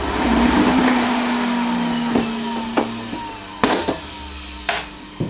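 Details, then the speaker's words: Electrolux Ultra Active ZUA 3820P vacuum, before motor replacement: the motor whines with a rough, sagging drone and scattered clicks and knocks. It was run too long with a full filter, so it overheated and wore out the motor brushes. "Bad. It sounds bad. This particular one has been run for way too long with a filter that's full, so the air's not getting out of the motor, which is causing it to run real hot, and basically it's causing the brushes in the motor to wear out."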